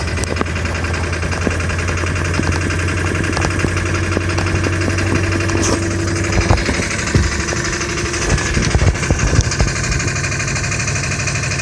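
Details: 2000 Ford F-550 7.3 diesel at about 60°F, hard start, owner says it needs new injectors: clatter idling a bit unevenly with occasional sharp ticks and rattles; rough idle after hard start.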